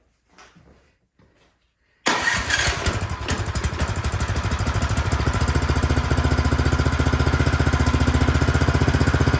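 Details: Cub Cadet snow blower that would not start, partly reassembled, primed with choke off: quiet, then it catches at once into a steady, even putter with no misses; normal start and run.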